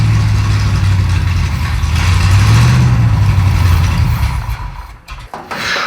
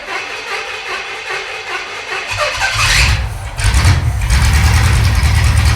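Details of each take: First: 1937 Pontiac junkyard-rescue V8, just restarted while being tuned, possibly now picking up gas from the tank: lumpy, lazy, uneven low running that dies away; ignition timing retarded at only about 10 degrees, to be advanced further. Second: Pontiac T-37 junkyard-rescue engine after advancing ignition timing from about 10 degrees: catches after some cranking and settles into a steady, even idle with firm low rumble, no misses; runs good now.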